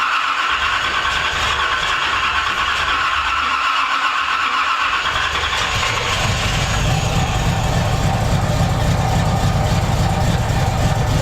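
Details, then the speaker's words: 1981 Corvette, after a shot of gas and a slight timing adjustment: it catches into a lumpy, uneven idle with a lot of loose rattling. It is running rough; the owner suspects timing slightly off and too much fuel. "Oh yeah. She definitely wanting to go. We've made progress, guys. Hush. A lot of rattling."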